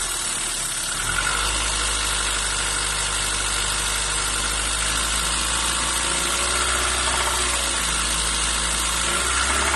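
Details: Renault Twingo 1 phase 2 engine at cold start; steady ticking clatter over a slightly uneven hum, cause not determined — cold-start engine noise.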